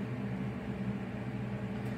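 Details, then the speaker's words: Twin-tub portable washing machine: wash motor turns on and runs properly, even steady low hum with no knocks or grinding, while the spin dryer side is nonfunctional. "the wash one which is this motor here does still work if I turn the wash motor on the motor will turn on and function properly by going left to"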